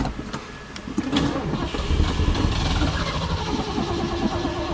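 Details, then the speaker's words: 1973 Ford Gran Torino Sport fastback, sat three years, catches and revs unevenly, surging before stalling short of the driveway end; thought to be out of fuel with old bad gas, needs fresh gas. "I think we might have ran out of Go Go Juice well it didn't make it to the end of the driveway"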